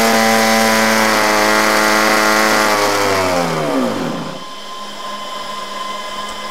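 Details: Hybrid drone generator (auxiliary power unit), small two-stroke engines driving 130 kV generators, throttle increased as generator takes load from batteries: high buzzing note sags in pitch as load comes on, then settles; normal running under load.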